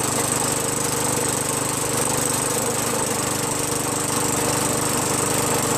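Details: Craftsman 21in push mower with a 5.5HP Tecumseh engine that previously started only when primed, then stalled. After a quick carb bowl cleaning with carb cleaner, fuel flows and it stays running with a steady, even buzz, no stumbling or surging. Normal running.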